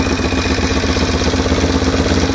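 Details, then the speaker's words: Project motorcycle with two carburetors, idling on choke; light rapid valve tick over an uneven beat, idle wanders, climbs and tends to die; owner suspects both carburetors need rebuilding; unstable idle with top-end ticking. "let's fire it up just to show it doesn't idle the best and it's probably gonna die here in a second"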